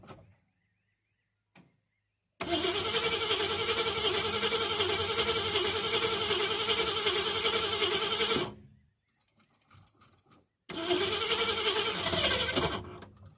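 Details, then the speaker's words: Ford Fairlane V8 after fuel pump swap and new coil starts and settles into an even, steady idle, cuts off and restarts smoothly; fuel pumping plenty through the filter, running perfect. "just running perfect yeah I could see a pumping plenty of Dash through the filter so that's working"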